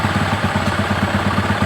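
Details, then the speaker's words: Small motorcycle carburetor adjustment, idle raised to about 2000 rpm, air screw turned clockwise until rpm drops: single-cylinder beat slightly uneven and starting to sag as mixture leans; idle dropping during air screw adjustment. "Nah, setelah tinggi, kira-kira udah stabil, baru kita putar yang bagian setelan udara ini ke kanan sampai RPM-nya menurun. Nah, ini udah mulai menurun."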